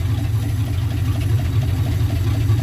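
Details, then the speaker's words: 1967 Dodge D100 V8, revived after years off the road, idling smoothly after fixing a vacuum leak; deep even rumble with no misses or knocks and no water leaks, a normal idle. "okay that thing sounds really good wasn't expecting to just idle perfectly like that"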